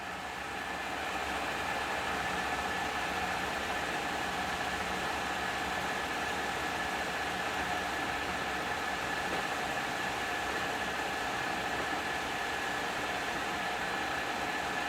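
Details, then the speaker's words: Gearbox named Pearl on its first test run, under power with a temporary clutch brake lever, at top speed (reading 1794): smooth, even gear whine with no knocks or grinding. Normal running. "okay here's what we've been waiting for top in what's top end going to [Applause] be boys that sound good don't it"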